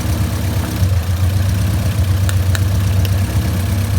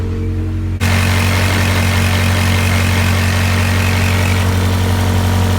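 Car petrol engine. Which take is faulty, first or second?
first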